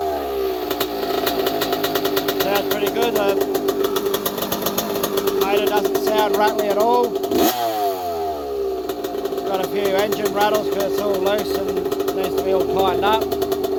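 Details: 1982 Yamaha YZ80J two-stroke after carb clean, air filter clean and fresh fuel, run without coolant: starts crisp and blips up and down cleanly, settling back each time with no knocking; healthy running.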